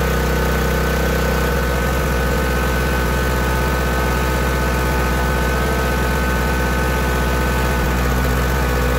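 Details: Small gasoline generator running at constant speed, fuel supply about to be cut so it burns off the carburetor bowl gas and stalls for long-term storage; steady, even drone with no knocks or surging, running healthily.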